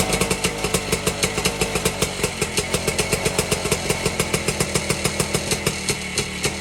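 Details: 1952 BSA D1 Bantam two-stroke engine on a test rig, first start in over two years, carburetor tickled to start; crisp, even popping about nine beats a second, no misses or knocks; normal running.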